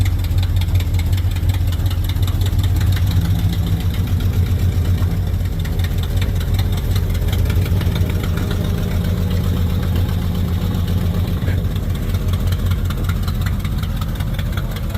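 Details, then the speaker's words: 1970 Chrysler Newport convertible, big V8 newly revived after sitting, cold weather around 20-something °F: it idles high with a lumpy pulse, and in gear the car starts taking off on its own. Fast idle surge, cause not found. "Yeah, see, it starts taking off on you. Sounds like Christine."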